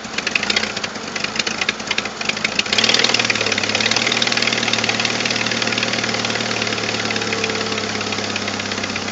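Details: 1997 Jeep Wrangler TJ 2.5L just started and idling, before repair: sharp ticking about three per second over idle from a leaking exhaust manifold gasket with a missing stud; fixed with new gasket and stud.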